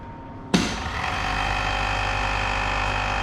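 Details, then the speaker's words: 415 V three-phase lab motor switched on via MCBs and start push button, rpm not measured: sudden start into a steady even hum with constant tone, no rubbing, grinding or knocking; motor turning normally. "Anda boleh dengar pergerakan bunyi lah, bunyi tu punya motor pusing ni."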